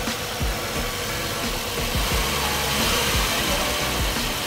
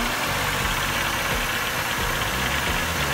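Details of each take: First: Ex-fleet full-size GM vehicle, warmed up after a cold start with piston slap, 10W oil believed used: a steady, even idle with only a soft background pulse and no knock. The cold piston slap has gone; normal warm idle. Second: Ex-fleet car, cold start with a borrowed battery; rough cold idle with irregular hollow knocking that quiets as it warms: owner suspects carbon knock or piston slap, possibly pulley.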